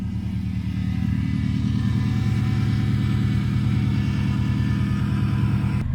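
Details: 1997 Subaru GC8 with STI engine swap, warmed up after first start in a long time: steady low idle rumble about three pulses a second, no misses or knocks; no smoke, leaks or smell; normal idle.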